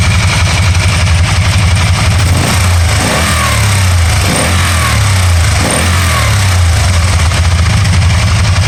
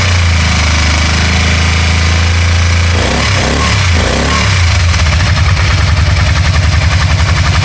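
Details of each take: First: 2012 Can-Am Spyder RT-L 990 after an intermittent misfire cleared by itself: the engine holds an even, steady idle and revs up cleanly with no stumble or popping; running smoothly. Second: 2012 Can-Am Spyder RT-L 990: deep throbbing run with uneven, stumbling pulses breaking the rhythm around the middle, a misfire that later cleared up by itself; cause unknown.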